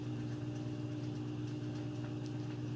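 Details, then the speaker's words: Like-new Samsung front-load washer with a load, final spin speeding up progressively to stay balanced: steady low hum with faint even whir, no knocking or thumping; drum smooth and balanced, normal. "it's progressive thing as it gets going like I said that way it stays balanced but you can see even at that speed nice and smooth"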